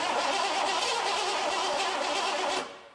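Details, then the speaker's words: 1986 Ford F150 with early EFI 5.0 V8, sitting about 25 years, first start attempt with the fuel pump powered during cranking: fast even cranking under three seconds with a few catching firings, then dies away; cranks but won't start, fuel delivery suspected. "Kind of sounded like it wanted to go there, didn't it?"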